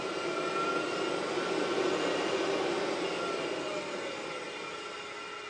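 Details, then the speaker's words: HPEVS AC-50 induction motor on a Curtis 1239-8501 144 V 500 A controller, bench test without pack voltage, slow throttle ramp: smooth rising electric hum with no squeal. A quick ramp does squeal. "Okay, so if I start slow and ramp up I don't get that I don't get that squeal."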